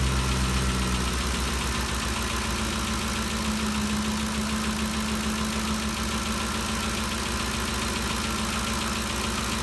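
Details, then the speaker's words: 2013 Ford Expedition after repair of a loud valve-train ticking (cam phaser or timing chain suspected): an even, steady idle with the earlier ticking gone, before the valve cover bolts were retightened; the engine sounds smooth and healthy. "let me see that the noise is all gone if you remember before we could hear this thing picking real loud uh it sounds real good so i think we got it fixed"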